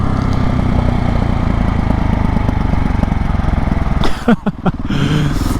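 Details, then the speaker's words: 2020 KTM 690 SMC R with Arrow exhaust (dB killer, cat), open airbox and new 15-tooth front sprocket, riding: steady deep single-cylinder drone, then sharp irregular pops and crackles on deceleration; more popping since the gearing change, cause unconfirmed. "er and i get a lot more popping which sounds freaking amazing but at the same time i'm a bit like oh i hope since i do have to go a lot through the city with this i hope i don't get picked up by the police one day"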